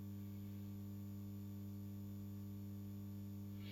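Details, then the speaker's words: Dowell iPower 3 kW hybrid inverter on test, connected with 4 mm cables and no large load: just switched on, a steady low electrical drone with deep hum and fainter higher tones; inverter humming, cause unknown. "coś się załączył Słuchajcie coś burczy"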